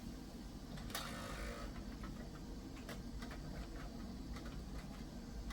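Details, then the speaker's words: eMachines eTower 266 (1998/1999) CD-ROM drive with broken bezel gives a low whirring spin with irregular scratchy clicks and a rasping burst while reading a freshly burned restore CD; faulty drive, replaced with a CD-RW. "now we'll get to see if this CD ROM Drive Works despite the broken bezel uh I don't think it's supposed to make that"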